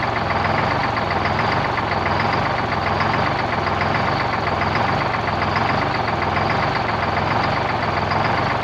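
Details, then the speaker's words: 1973 Peterbilt 352 cabover, 12V71 Detroit Diesel, first run since 1984 after restoration: steady idle with a loping uneven beat about once a second, one cylinder in particular down; good fuel and oil pressure. "so a little bit of wall it's like one cylinder in particular"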